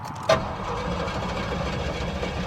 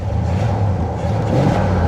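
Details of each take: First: 1979 Cadillac Coupe DeVille, 7.0 L 425 cu in V8, about 68,000 miles, parked 27 years. Lumpy, surging and sagging idle, then it stalls as the fuel gauge swings above full; rough running, cause not identified. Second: 1979 Cadillac Coupe DeVille, 7 L 425 cu in V8, about 68,000 original miles, parked 27 years. At full throttle a deep, even roar builds strongly with no misses or knocks. Responsive, though it idles poorly.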